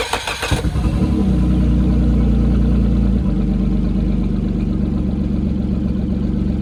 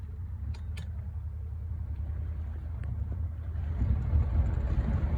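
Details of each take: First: Motor on a previously sunk boat, after new starter, rewiring, draining the old tank and fresh fuel: brief crank, then a smooth, steady low idle with even firing while warming up; normal idle. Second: Outboard on a sunk boat, first run after rebuild: a low, uneven rumble that stumbles and surges under way, sputtering; the owner suspects bad gas, unconfirmed.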